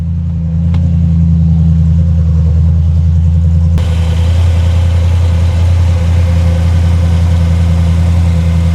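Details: Audi S5 4.2 V8 after misfire repair: new gaskets fitted, air intake reinstalled. Deep, steady idle settling into an even beat with no stumble or miss; sounds healthy.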